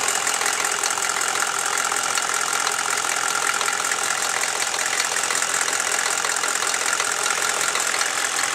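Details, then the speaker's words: Chevy 6.5L diesel warming at idle: sharp, even tick about four times a second over the idle, appearing only once warm and worse after revving; owner suspects a valve or rocker arm needing adjustment, unconfirmed. "It just kind of, after it gets a little warm, it gets this little knocking sound going on in it. I'm not really sure what it is."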